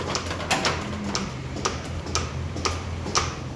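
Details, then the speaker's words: Milking-unit cup three: a light steady hiss under sharp pulsator ticks, twice a second, from a vacuum leak at a split hose fitting. Symptoms were unexpectedly low yield, poor fit to the jetter, longer stall time and more incompletes. "now at first I thought it may be the hose pulled off some but right there it's pretty much on all the way so when the cows done I just reattach it there so we could hear the hissing"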